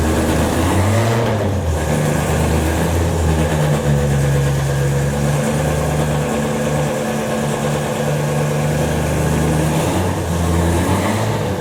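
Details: Ford Escort RS1600i, started on a jump pack with the fuel pumps audibly priming: steady, even idle with a firm low hum and no knocks or misses; the engine runs healthy.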